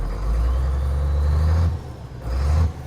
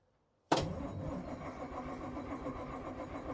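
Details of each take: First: 1981 International semi diesel, long-abandoned, restarted while building air brake pressure: deep, steady idle with a faint turbo whistle, dipping once as if to stall then recovering; sounds healthy. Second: 1981 International semi diesel, abandoned and unstarted for a long time, cranks strongly and evenly about five seconds without firing; fuel in tanks and turbo hooked up, but the engine-stop lever was cutting the fuel.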